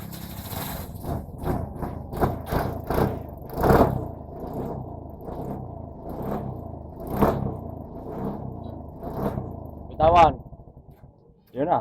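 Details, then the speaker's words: Burgman scooter with hard starting, battery replaced: short revs die away each time throttle is released, near silence; stalls at idle, throttle body sensor needs resetting. "Gasolinahan tasinyador para umandar. Pero bitawan silinador oh. Aan pakay na."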